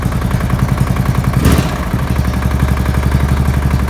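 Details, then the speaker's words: Murray riding mower with a flathead single-cylinder engine, first start in a long while, possibly old used oil in it: runs rough with a heavy, regular low knock; owner unsure whether it's normal for a flathead, thinks engine is on its way out. "Knocking pretty bad though. Sounds bad to me. Maybe it's just a flathead thing."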